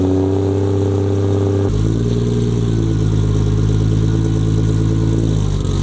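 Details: Nissan 240SX S14 with RB25, car still jacked up, after fitting a forklift starter to cure starting problems: the starter sounds odd, but the engine catches in under two seconds and settles to a deep, steady idle.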